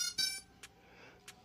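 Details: Holy Stone HS175D brushless GPS drone powering on in a quiet room: a short bright chirp followed by a few faint ticks as it starts up and arms normally.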